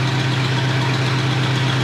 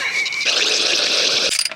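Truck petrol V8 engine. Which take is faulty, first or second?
second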